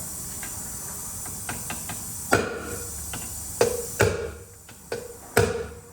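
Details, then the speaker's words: 2014 Chevrolet Traverse 3.6L no-start, engine pulled, leak-down test: cylinder held pressurised while the valves are tapped to blow out carbon. A steady high hiss under sharp metal taps; still leaking but less, exhaust valves leak too, then reaching green. "Still leaking, not as bad. The exhaust valves are leaking too, so I'm gonna tap them a little bit."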